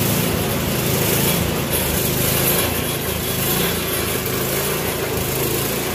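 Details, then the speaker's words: Troy-Bilt Storm 24-inch snowblower after clearing air vent obstruction, adjusting float tab and new spark plug: small single-cylinder buzz runs at steady speed without stalling or surging; running about as well as possible without new carburetor parts. "i do believe we got this running about as well as it's going to get without getting too involved with uh new carburetor parts"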